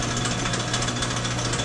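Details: Sidney lathe, about 100 years old, with a flat belt and home-built belt drive, spindle oil just topped up. A steady hum sits under an even rattle of belt and gears with no knocks or grinding; it runs smoothly.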